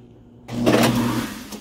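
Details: Sink garbage disposal that had hummed while jammed, now running: it starts abruptly with a steady low hum and a brief grinding swirl. It spins freely and runs normally.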